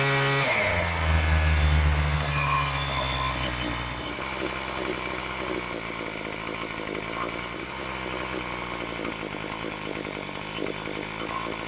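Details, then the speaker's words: Craftsman 27cc string trimmer after Zama carb rebuild, new fuel lines and mixture and idle screw adjustment. Quick rev, then it drops to a steady, even idle with no hunting or sputtering; carburettor set right, normal idle. "All right, that sounds pretty good."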